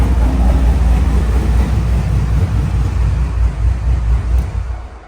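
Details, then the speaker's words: Pontiac Trans Am WS6 with heads and cam, after valvetrain upgrade (CHE trunnions, billet rocker pedestals, new pushrods): deep steady warm V8 idle, earlier valvetrain noise gone, no ticking; owner thinks lifters had drained of oil and needed pumping up. "I'm so glad the car's not making that noise anymore. I guess you could say it fixed itself, but I think all it was the lifters were just drained of oil and they just needed pumped up."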